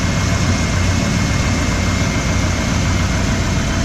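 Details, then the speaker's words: 1994 Ford F150 4x4 at idle after replacing a moaning rebuilt Ford power steering pump with a used Saginaw pump from a 1994 E150 van, new fluid: even hum, no whine or groan. Pump quiet; normal. "well I've got the truck running and maybe you can tell it's a lot quieter now that pump doesn't make any noise whatsoever"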